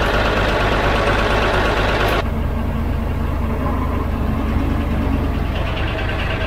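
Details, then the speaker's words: 12-ton diesel grader after a new drive chain and an oil and filter change; the chain is running unfilled, with oil poured over it. Steady diesel rumble with an even mechanical whirr underneath and no knocking or binding. The drive chain runs smoothly. "All going around pretty well, so I'll back those bolts off, put some sealant around that hub, and then do that back up, because I'm pretty happy with that, I think."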